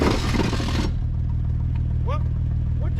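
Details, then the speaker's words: Long-sitting Mercedes AMG put in Drive. Heavy, steady low rumble and shaking, and it will not move; it is fine in neutral. "I put it in Drive it's all shaking it's not like I heard of elephants just walk by that sounds really bad something's floated"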